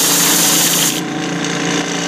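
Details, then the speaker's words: Iwata Eclipse HP-CS airbrush spraying cleaner: harsh, sputtering, feathering hiss instead of a clean steady stream, meaning gunk on the needle and a clogged nozzle needing cleaning and maintenance. "you hear that hissing that feathering and you don't have a just a clean stream coming out of this and I've got cleaner in it now this is an indication that it's time to clean the gunk off the needle clean out the nozzle head and do some basic maintenance on your airbrush"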